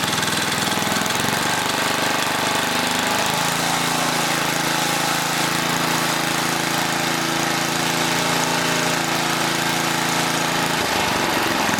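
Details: 1980 rototiller, small engine started with manual choke, chatters loudly with speed stepping up and down; idle hunts, something wrong with the throttle linkage suspected.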